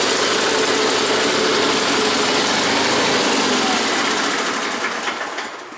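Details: Onan small engine with new clear fuel filter gives a busy, buzzy, fairly even idle still slightly unsettled; best in a while, but won't idle until up to temperature.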